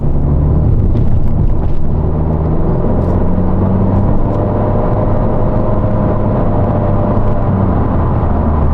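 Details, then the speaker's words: 2026 Honda Civic Sport Hatch, CVT: steady low droning whine held around 3,000 rpm while accelerating; normal CVT behaviour, nothing faulty. "They just make your car whine at 3,000 RPMs under acceleration."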